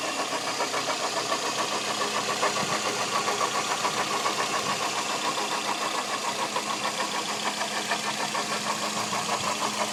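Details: Toyota Echo 1.3 VVT-i petrol engine at steady idle with light, fairly regular ticking of about three per second; mystery engine noise, source unknown.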